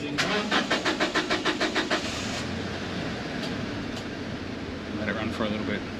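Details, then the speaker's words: 2009 Toyota Hilux Workmate 2.7L petrol after service with new fuel filter, ignition held on before cranking: starter cranks briskly about a dozen even turns, catches cleanly into smooth steady idle, no stumble. "another thing I like to do after changing a fuel filter cuz I'm paranoid is just sit there with your ignition on for a second start it"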